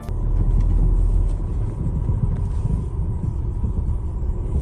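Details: 2018 Land Rover Discovery Sport knocking over bumps at low speed, quiet at higher speed; heard in the cabin as irregular dull knocks under road rumble, traced to worn front lower control arm bushings, which were replaced.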